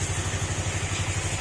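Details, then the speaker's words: Honda RS150 single at quiet, even idle after the cam holder was sanded and the engine reset. Steady low pulses, no ticking or clatter; normal idle. "At tahimik na rin siya."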